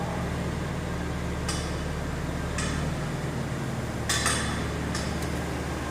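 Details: 2009 Volvo XC90 rolling slowly: sharp metallic clicks about one a second over low engine and road hum; owner suspects CV joint or hub bearing and ordered both, cause unconfirmed.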